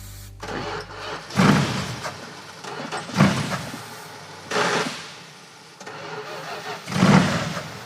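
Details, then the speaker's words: 1980 Mirada big-block on starting fluid: catches while cranking, then dies each time the key returns to run, in short repeated bursts; disconnected ballast resistor cutting ignition, reconnected and it then idles. "does sound like the ignition shuts off where's the ballast resistor aha that's why that's disconnected oh that explains it"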